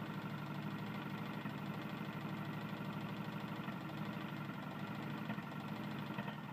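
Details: Tecumseh lawn mower engine at steady idle with a soft repeating knock from low in the engine; connecting rod problem suspected, not yet confirmed.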